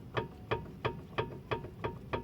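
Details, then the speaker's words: Car suspension, stabilizer bar levered upward with an iron bar: sharp hollow clunks, about three a second; the stabilizer link moves too easily, has excessive play and needs replacing; worn stabilizer link. "Esse barulho significa que ela está com muita folga e precisa ser substituída, tá ok?"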